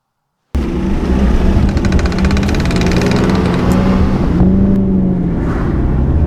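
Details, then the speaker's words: Suzuki Ignis Sport 1.5 driving on the road: steady low howl over road noise from worn wheel bearings, possibly both sides, plus suspension clunks. "well as you can probably hear the wheel bearing is absolutely howling or wheel bearings I guess we're probably hearing wheel bearings in stereo at this point"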